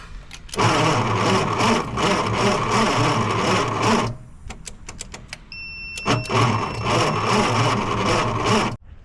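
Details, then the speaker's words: 1963 Plymouth Belvedere sitting since 1978, junk starter, starting fluid sprayed: two long slow laboured cranks with clicks between, never fires; no spark found, points checked. Slow hard cranking. "well guys, this one's fighting me, that's for sure. This starter just does not want to cooperate. So we got it to turn over, but we have no spark."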